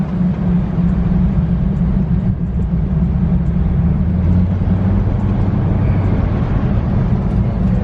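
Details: C6 Corvette with a newly swapped LS2 V8 on a first test drive after the swap, stock exhaust refitted: deep, even low rumble under light throttle on the road, smooth and quiet with no knocks or rattles; normal running.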